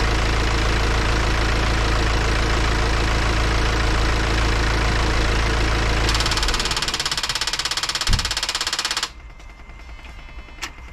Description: My BMW X1 18d F48, diesel engine, is doing a strange noise when stopping the engine.